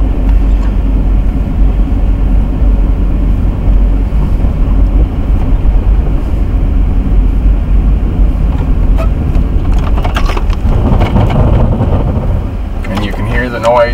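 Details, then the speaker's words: Car braking hard on a snowy road: steady tyre and road rumble, then a rapid buzzing pulse and shudder near the end as the anti-lock brakes cycle: normal ABS activation. "and the shutter and that is the ABS brakes engaging"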